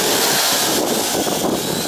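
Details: Syma X8HG quadcopter after dropping from the air: steady high buzzing motor whine, slightly rough and uneven, drifting forward; bent motor shaft or damaged prop suspected, not confirmed.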